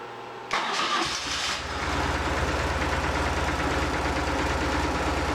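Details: 2004 BMW R1150R oil head, 22,711 miles, finished after no-start repair: cranks, catches at once, settles to even, steady idle on both cylinders with no missed beats; runs as it should.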